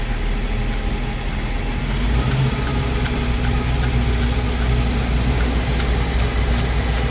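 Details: 5.7L MerCruiser with a Bravo 3 drive: a steady low idle with a faint, uneven knock under the rumble; the owner suspects rod knock, not confirmed.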